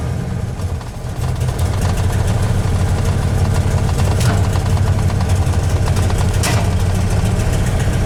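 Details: 1993 Dodge Dakota 318 V8, on its third start that week after an NV3500 manual transmission swap: lumpy, uneven, shaking idle with a few sharp backfire pops over the low rumble.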